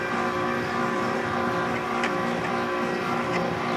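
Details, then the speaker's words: 2002 Frigidaire 5000 BTU window air conditioner, microphone near compressor, compressor starting with fan and cooling; steady even hum with constant fan rush, no knocks or rattles: compressor running normally. "compressor is certainly running it's getting cold here so we'll let that run for a little bit"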